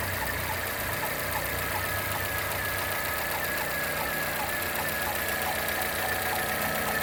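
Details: Chevrolet Corsa Classic / Celta engine at steady idle with a light, uneven ticking knock about two or three per second; cause unclear, not confirmed.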